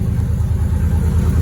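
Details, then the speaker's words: Chevy SS sedan V8 idling after an alternator replacement: deep, choppy, pulsing rumble; the car doesn't sound great. Exhaust leak at idle. "so now we have an exhaust leak as you can probably hear the car doesn't sound great"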